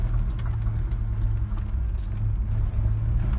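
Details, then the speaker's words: Kia Sportage I driving over rough road after repair: only low road rumble, with no knocks, bangs or squeaks from the tailgate; the rattle and squeak were fixed by adjusting the latch loop and fitting an old hose piece. "тишиной в области хлопушки."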